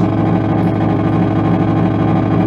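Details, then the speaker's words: Magnatone MP1 tube guitar amp, unrestored, brought up slowly on variac to 90 then switched out of standby: loud, steady, rough buzzing hum from switch-on; serious fault, cause unknown, before capacitor replacement. "Should probably, there, turn it on, standby. And it's loud and making fucked up noises."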